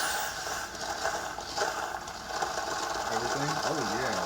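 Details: Keurig coffee maker that would not power on, after removing the cover and resetting the tripped thermal cutoff, reservoir filled to prime, 8 oz brew; steady pump hum with gurgling water; pump working normally.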